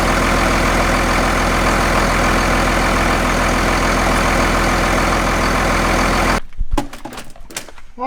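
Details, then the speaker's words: Second-gen Cummins diesel truck after replacing the belt tensioner, found to be the cause of the belt problem. Steady, even idle clatter with no belt squeal or slap before shutting off: normal idle, belt drive running normally. "so i think we have our belt issue solved so it was the tensioner causing our problem"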